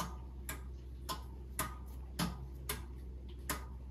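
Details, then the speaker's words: VW ID.3 62 kWh battery used 5 months as solar storage, system switched back on after breakers turned on: sharp relay clicks about once a second over a low steady hum during startup countdown; normal relay clicking, battery power restored. "and now it will do its countdown and research everything and now you will hear some relays clicking"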